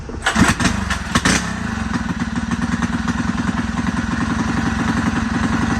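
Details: Rebuilt Predator 224 single-cylinder engine (new piston, rings, rod, aluminum flywheel, advanced timing key, ported PWK carb), first start: a few heavy thumps as it catches, then a steady, even idle with no knocks or misses.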